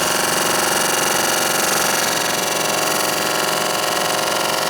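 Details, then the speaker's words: Saab heater blower motor, soaked with water: steady high fan whir with a fast scraping tick, nearly three a second, from ice packed in the blower cage rubbing the housing; it locked up before being unjammed and still works. "There's just a lot of ice pulled up in there. So it still works. But that's the noise that I was hearing, and then it stopped."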